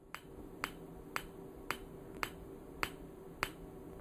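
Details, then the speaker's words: PEMF 100 electromagnetic pulser turned up toward high intensity: sharp, even clicks about every half second over a faint steady hum as the clicking settles down; normal pulsing. "So let's turn it up some more. And you can hear how that clicking settles down."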